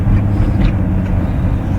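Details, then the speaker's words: 2001 Ford Taurus wagon, 194,000 miles, driven in cold after new rear wheel bearing: steady low rolling drone, no knocking or grinding, only the usual Ford power steering line noise; normal running. "other than the characteristic ford power steering line sounds pretty good"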